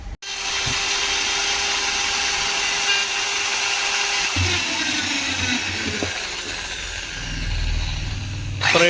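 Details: Black & Decker 13mm drill, brought in for a noise from a failed bearing: steady high whine for about four seconds, then a smooth coast to a stop.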